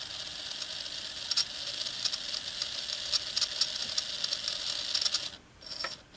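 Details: Farish N-gauge GWR Hall 'Sketty Hall' loco (R238): thin high steady squeal with scattered ticks while the motor runs; oiling the drive gear didn't cure it, and the squeak was isolated to dry armature bearings.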